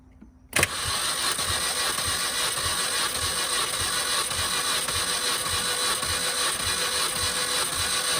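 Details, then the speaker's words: 2005 Mini Cooper S, immobilizer bypassed by jumpering starter to battery, cranking during compression test on cylinder 1 reading about 148 psi (others 150, cylinder 2 low at 130); engine unrun for a couple years; even healthy cranking, about two pulses a second over steady starter whir. "that one hit almost 150 it's about 148 so that's how you do a compression test on one of these minis"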